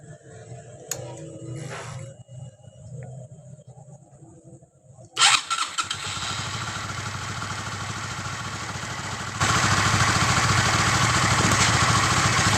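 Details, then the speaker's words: Sonic 150 engine after repair of a noisy top end with badly mismatched valve clearances and loose bolts, with a custom crankshaft balancer; now starts cleanly and runs smooth and quiet, with good oil pressure. "Ini untuk mesinnya udah halus ya, sudah halus semua. Suaranya ini udah adem, terus olinya juga udah kencang."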